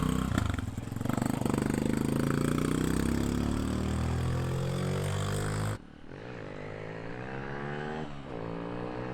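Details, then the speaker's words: Honda XR150L after intake mod and rejet from 105 to 115 main jet: single settles to steady, even idle and picks up cleanly off idle, with no top-end rattle as before; sounds healthy. "concerns would have been like off idle. Off idle seems fine. Sounds good. I didn't hear any of the rattle on the top end like you used to."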